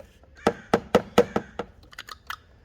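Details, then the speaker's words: 2014 Chevy Malibu 2.5 Ecotec, code P0011, sluggish and shaky pulling away; intake cam VVT solenoid tested by tapping power: sharp clicks about every quarter second, then faint uneven ones fading out; solenoid sticking, old solenoid faulty. "So it's getting stuck. So as you can see, I'm tapping it. You see how it's stopping randomly?"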